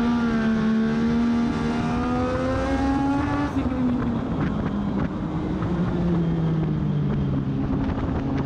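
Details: Race car on track at Charlotte during practice, after professional setup: engine note climbs and holds high on acceleration out of turns in the correct gear, then drops, but the car isn't gaining speed; clutch slipping suspected.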